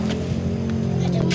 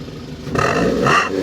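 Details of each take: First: 2012 Daihatsu Gran Max blind van, just started: short stretch of steady, even low hum with no knocks or stumbles; engine running very normally, normal idle. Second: 2012 Daihatsu Gran Max blind van on a cool damp morning, revved: sharp throttle blips over a raspy, loud exhaust; exhaust modified, central catalytic converter apparently removed and a lower muffler section fitted; throttle response feels spontaneous.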